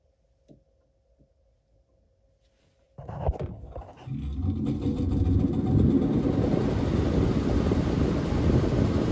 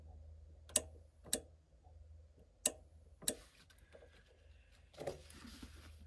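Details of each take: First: Lennox furnace ECM blower motor, jumpered on at the control board: silent, then at about three seconds the blower starts and settles into a steady airflow rumble, slightly rattly from the motor; blower runs in the right direction. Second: Lennox furnace with ECM blower motor: four sharp relay clicks over a low hum with G and R jumpered, wiring connected, but the blower never spins up; blower motor has failed and is replaced.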